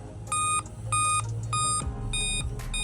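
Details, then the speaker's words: Laptop at power-on gives repeated short high-pitched beeps, about five in three seconds; the discharged CMOS battery on the motherboard needs replacing. "दोस्तों अगर आपके laptop इस प्रकार आवाज आती है"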